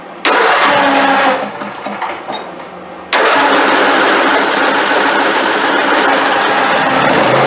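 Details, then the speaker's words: Neglected Craftsman YT4000 hydrostatic riding mower, oil never changed and original plugs and fuel filter: it catches, stumbles and dies, then fires and runs. It needs full choke on every restart, and the idle jet in the carburetor is suspected. "Alright guys, so every time I would turn it off and crank it, I would have to give it full choke again. And after it busts off the first time, really you shouldn't even have to use the choke."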